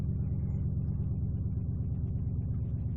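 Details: 1997 Ford Taurus SHO 3.4L V8 after new crankshaft position sensor fixed a no-start: steady low rumble at idle with faintly uneven beat, no clear knock; RPM always changing, idle hunting. Unsteady idle.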